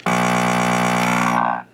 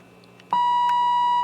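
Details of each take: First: RCA 66X1 radio, radio section: with the radio humming, pressing the button gives a loud steady buzz with no test tone coming through, then cuts off; the 12SK7 RF amplifier tube is believed bad. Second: RCA 66X1 radio, radio section under signal-injection troubleshooting: a clean, steady tone near 1 kHz holds evenly for about a second, so the injected signal passes the stage normally.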